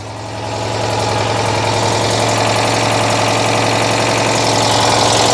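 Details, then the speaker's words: Citroën 2CV flat-twin, just restarted after a no-spark fault: the idle picks up, then a sharp, regular puffing tick about four times a second chuffs through the engine note, from a bad exhaust leak somewhere. "I've got a bad exhaust leak in here somewhere I can hear it"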